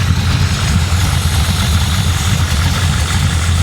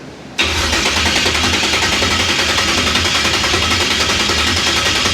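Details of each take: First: Carbureted 560 hp V8 Impala warming up after a drive, with electric choke hooked up: deep steady rumble, even beat, no misses or knocks; idling smoothly and healthy. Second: 1966 Impala with a 560hp V8 build: about nine seconds of steady starter cranking with no firing, no fuel reaching the carburetor bowls. Owner wonders whether clocking the fuel pump caused it.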